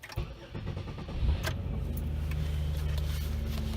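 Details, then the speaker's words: 2004 Chevrolet Impala 3400 on jack stands, after fuel pump, fuel filter and fuel pressure regulator replacement: fuel pump primed, then a brief crank, a quick catch and a steady smooth idle; no leaks at the regulator. "I'm going to hit the key and listen for the fuel pump to prime. Do this a couple times. Okay, let's try starting her."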